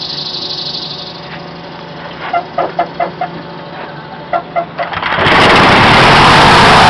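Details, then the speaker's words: Stock Continental 4A032 GPU engine on rubber mounts in a mini airboat, magneto pull-start, mic partly covered by thumb: starter pulls give way to loud steady roar without knocks or misses; very smooth compared to the old Briggs & Stratton, normal running. "this engine is very very smooth compared to the old break Strat"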